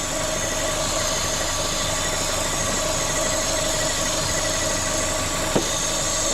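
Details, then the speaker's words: Corsa VXR (engine replaced) idling with a loud steady hiss from the top of the engine, bogging on acceleration with engine light on; vacuum leak traced to a cracked/split cam cover. "The cam cover's broken or split."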